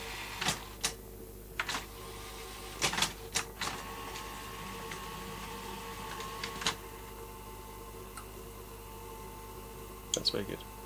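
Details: Sanyo Beta VTC5000/VTC5150 video recorder after belt/idler service, test run; quiet steady motor hum with scattered mechanical clicks as tape threads and plays, no grinding or squeal, healthy.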